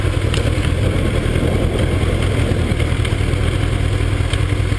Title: Kawasaki zx12r engine knocking